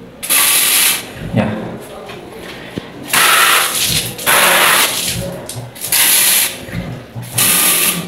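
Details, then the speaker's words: Booster water pump after moving the flow switch to the water filter housing outlet: motor hum and water rush start immediately as the tap opens and stop when it closes, no delay; pump now responds normally. "Ya, sensitif banget teman-teman. Langsung respon jadi tidak delay langsung teman-teman ya tanpa delay lagi"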